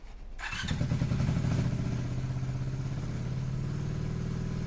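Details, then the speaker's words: Motorcycle before repair: engine fires and revs high, and the revs hang there, sinking only slowly; after the fix it idles properly and drops back when revved. "See how it's, like, revving really high? And, like, listen to how long it takes it for it to come back down."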